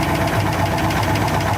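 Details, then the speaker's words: 1957 Dodge Sweptside D100 V8 after sitting over 50 years, first start: quick light ticking over a somewhat lumpy idle, keeping pace with engine speed; suspected lifter or still-sticking valve, unconfirmed. "A little bit of a lifter noise or valve or something. Sounds like on your side. Sounds pretty good though."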